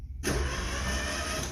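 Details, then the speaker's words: Neglected small French car without key, spark plugs out and oil in cylinders, starter jumped directly: one smooth, even crank without binding or clunks, the engine turns over freely and is not seized. "good let's justlet turn over for a little bit"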